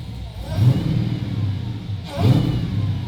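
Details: Nissan 350Z with a swapped 6.2L supercharged Hellcat V8, fitted with a more aggressive cam, smaller supercharger pulley and locked cam gears, warm: two clean rev blips over a deep steady idle with no knock or tapping left; sounds healthy.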